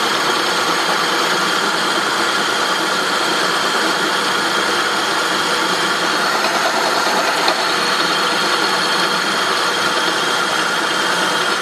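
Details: 2003 Saab 9-5 at even idle: steady raspy, mostly high-pitched metallic grind from the engine; source not yet pinned down.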